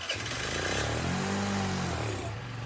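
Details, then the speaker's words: Chinese Geely 50cc two-stroke scooter, revived after sitting: barely keeps running with an uneven, wavering idle; carburetor suspected, later repositioned. "and I can't believe it's kind of idle it's amazing"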